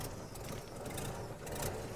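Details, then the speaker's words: 1970 Dodge Dart slant six, long-sitting car, just started after filling coolant: ticks over unevenly with a surging, sagging loping idle, slight stinky smoke; cause not yet found. "Now we got coolant in there. Perfect. Let's start her up. She's loping."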